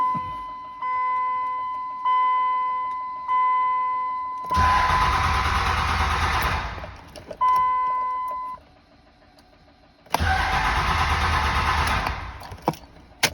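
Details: 2003 5.9 Cummins diesel with FPC disconnected; warning chimes, then two long bursts of steady starter cranking that never fire; crank, no start.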